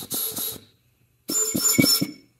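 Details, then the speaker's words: 1969 Ford Mustang C4 transmission being air-tested. Two bursts of air hiss, each with a few sharp clunks as the pistons stroke; clutch packs apply cleanly: normal clutch pack apply. "that was a clutch pack I think so you can hear it move"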